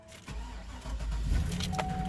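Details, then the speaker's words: GM V8 cold start on a very cold day after sitting a day or two, battery voltage reading a bit low; brief crank, catches quickly and settles into a steady low idle with no stumble, no dash warning lights, healthy. "no problem no lights on the dash"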